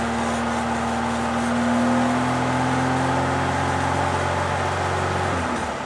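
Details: Four-cylinder engine idling after adjusting timing chain and valves per service manual: persistent ringing tone with light rhythmic tick; horrific new noise despite more even compression and better exhaust note, cause unidentified.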